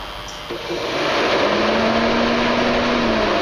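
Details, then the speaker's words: BMW cooling fan energized by jumping pins 2 and 1 at the fan switch connector: a whooshing fan spins up and settles into a steady airy hum with a low drone; fan motor and wiring work, fan switch bad (caused overheating). "you can he hear the T fan turn on and off and again that wasn't working"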